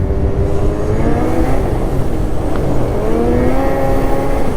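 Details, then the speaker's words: Ski-Doo Gen 5 snowmobile, well broken in (almost 700 miles), stock muffler, clutching changes, riding in cold weather: engine screams high under load and over-revs; rider suspects it is slightly over-shifted (helix). Engine over-revving. "okay yeah she pulls like a freight train now and we're over revving like crazy little bit of a different machine now"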